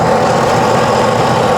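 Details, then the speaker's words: 2019 Sea-Doo jet ski engine reinstalled after flooding, running on a flush hose with water on: steady, even idle with water rushing out the exhaust, no misses or knocks; healthy after a bad ground was fixed. "you can see how it's coming out to exhaust that's what you want that means it's going through the exhaust system and coming out the jet propeller engine sounds"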